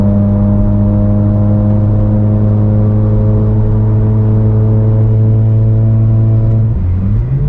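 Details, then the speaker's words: Mazda RX8 rotary (13B Renesis) back on road after 8 months in barn, cruising: loud deep even exhaust drone, far too loud to pass track-day decibel test; excessively loud exhaust, temperatures fine. "that yeah that's far too loud there's no way no way that is ever going to be passing a deciel test on a track day"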